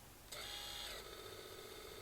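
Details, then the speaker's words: New 2306 brushless motors on a custom miniquad spinning up on the bench: high thin whine that sags and runs rough with rumbling, undulating vibration; three of four motors sound bad. "of them making horrible sort of rumbling noises when I spin them up"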